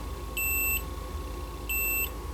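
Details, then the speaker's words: 1982 Bally Midway Robby Roto arcade CPU board removed for beeping out video transistor circuit: two clean high-pitched continuity beeps about 0.4 s each as probes touch pins, showing that pin shorted to ground. "i'm just going to kind of take this board out of here and do a little do a little good old-fashioned beeping out"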